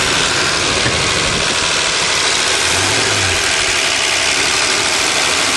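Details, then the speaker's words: Old Dodge diesel van, cold start at 20 °C after sitting three months, primed and hot-wired: starts readily, then steady even idle with no knocks or misses under heavy hiss; normal idle. "as usual it runs like a charm that's three months you know just sitting summer or winter this thing always starts amazing"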